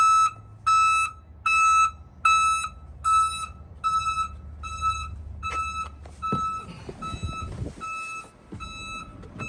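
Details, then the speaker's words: Newly installed backup alarm on a commercial van/truck sounds loud, steady, evenly spaced high beeps (about 75 a minute) over a quiet engine idle with the van in reverse. It sounds only in reverse and is working normally. "Yeah, that only works when you put the car in reverse. Other than that, it's not gonna make that sound, only in reverse."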